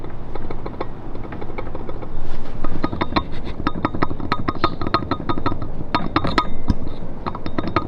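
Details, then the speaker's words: Honda Civic Si fitted with a Makspeed turbo kit that would not build boost: quick, irregular metallic clinks as the turbo shaft is rocked by hand, showing shaft play; owner suspects blown seals or a bad turbo from the start. "Yep. As you can hear, that is the shaft play on the turbo."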